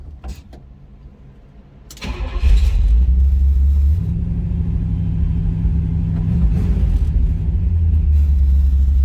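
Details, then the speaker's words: 1954 Chevrolet 3100 pickup street rod with 301 Pontiac V8, started from the cab: cranks and catches, then a steady, even V8 burble, no misses or knocks; healthy idle. "Sounds good. Just a really running engine, no doubt about that."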